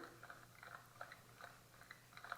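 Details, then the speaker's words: Juiced HyperScorpion e-bike front wheel bearing (10x26x8mm) turned by hand with the wheel off and mic close. Quiet, uneven, gritty clicking from a worn, rough bearing; the bike had a squeak blamed on the bearing O-rings. "Common sense says that doesn't sound real good."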